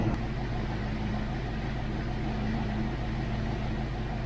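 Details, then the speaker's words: Foxbody Mustang V8 with Calypso clone engine, idling after the distributor was tightened: an even, steady idle with a smooth low hum and no ticking or lope. Earlier tapping noise resolved; normal idle. "This sounds a lot better under the hood."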